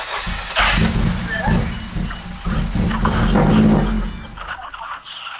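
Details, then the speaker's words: Honda Civic Si (10th gen) that had shut off while driving: starter turns over in uneven, labored pulses for several seconds before the engine barely catches; earlier squeak gone, owner unsure of cause, possibly cold. "but then i just started right now and i didn't hear that noise anymore it just struggling to start"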